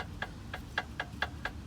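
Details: Jeep Patriot cheap aftermarket tie rod end, possibly fitted about a year ago, wheel pulled sideways on vehicle; sharp crisp knocks about three a second with each rock; worn tie rod end knocking.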